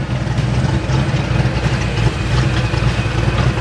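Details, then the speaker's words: 1989 Ford Mustang GT V8, warm, after a new fuel tank and a fully cleaned fuel system; steady, even low idle rumble with no misses, stumbles or surging. Smooth, healthy idle, though the clutch fan clutch is seized. "but you can hear this thing is running extremely extremely well now that we cleaned up the entire fuel system"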